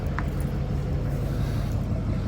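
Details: 2014 Chevy 2500 Duramax with the EGR deleted, EGR valve plugged in: lumpy, uneven, low loping idle that won't settle even with throttle, heavy smoke, no check engine light; running rough.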